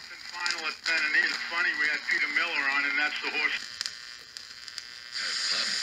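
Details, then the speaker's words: GE model 62 vacuum tube clock radio, recapped, warmed up on a variac: thin, quiet audio with crackle and hiss and a noisy fade. "so even after I had tried it in that previous video clip you may have noticed that the sound wasn't very good and that it was very quiet and that there was a lot of crackling in bad noise"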